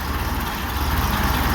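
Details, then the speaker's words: Ferguson TO-20 tractor, idling after fixing valve tapping (oil now reaching valve rotators, pushrods turning): steady even low idle, smooth beat, no ticking; some belt noise; normal idle. "you can't really tell the Fiat belts making a bunch of noise here I'll be quiet it down no Ticky Ticky"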